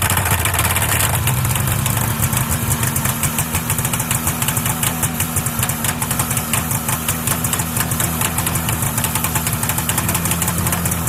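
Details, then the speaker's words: 1979 Arctic Cat Jag 3000 340cc vintage two-stroke snowmobile, cold start after sitting with ice in the carb, about 10 pulls, fuel pump zip-tied on: raspy, steady, even-popping idle with no skips or rattles. Runs clean and healthy. "There it is. Start it up. There she is, guys. I don't know, that was probably close to 10 pulls."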